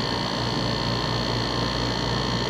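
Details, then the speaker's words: Dometic rooftop RV air conditioner after repair: smooth steady hum with faint high whistle, no rattle; rattle was the Freon return line rubbing metal-to-metal through a worn cable clamp, fixed by sliding tubing inside the clamp. "more noise just a tube inside the hose clamp that did it well that took care of it all I got now is wind noise and birds"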